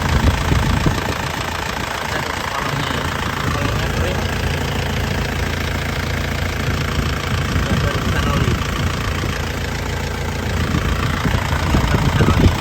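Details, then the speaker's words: 2003 Isuzu Panther Touring Turbo manual diesel: steady even idle clatter about four beats a second, no misses, not shaking, no smoke; healthy normal idle. "Mesinnya juga stabil, tidak pincang ya. Kalau dia goyang-goyang ini berarti pincang. Ini masih stabil tidak pincang. Ini suaranya enak renyah."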